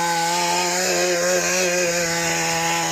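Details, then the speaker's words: Mantis tiller two-stroke after carburetor cleaning and shattered-piston replacement, tilling hard ground: high crisp snarl dips briefly as tines bite, then recovers smoothly; normal under load. "It just does a great job. This is an impressive little tiller. I think our fix with the piston works just fine."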